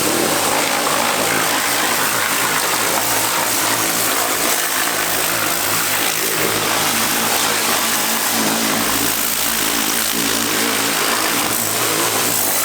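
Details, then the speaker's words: Honda Accord running after fuel pressure restored and high pressure line replaced: steady engine run with a loud, constant howl on top; power steering pump whine, pump still needs swapping. "So that noise is a power steering pump, which we did last time, so ignore that."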